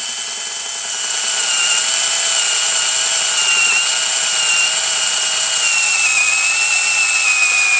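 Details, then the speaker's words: Cordless impact removing a bolt during teardown of a 60-year-old Honda motorcycle engine: steady high motor whine whose pitch sags as it works; the battery is fading and a fresh battery was then fitted. "It's going everywhere right now. Battery sounds like it's not going to make it through."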